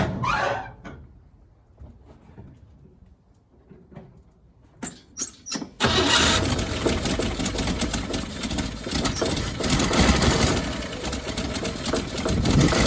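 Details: 1957 Bel Air that sat 30 years, restarted with frozen water pump's belt removed, catches after clicks and runs rough and loud with puffing tick; exhaust leak at manifold, owner thinks the exhaust donut is trashed or leaking.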